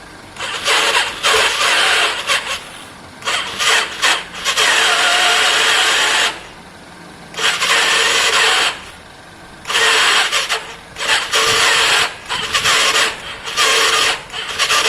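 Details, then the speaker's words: Yamaha Virago after carb work, restart attempt with choke off once it had loosened up: repeated cranking bursts of a few seconds with a rough, uneven whirr and no catch. The starter engages poorly; the owner earlier suspected the starter clutch. "now what I want to test is now that it's loosened itself up and what's it starting like um has it got over its Stuffies still got it"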